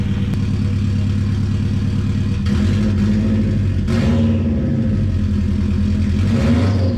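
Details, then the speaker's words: Impreza 2.5RS with JDM EJ205 turbo swap, cold start with no exhaust fitted, stock blow-off valve: very loud open-pipe rumble rising and falling smoothly with throttle, no knocks or misses, turbo whistle; normal cold start and revving. "oh hell yeah I mean that's insanely loud right now but it still sounds super good not gonna lie"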